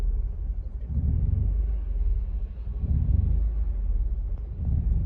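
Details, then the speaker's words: Mazda 3 just after battery replacement, idling stationary with hood up during the idle relearn procedure; very low idle rpm that sags and swells about every two seconds as if about to stall. "See, I don't know if you can hear it. It almost sounds like it wants to die. Look how low the RPMs are."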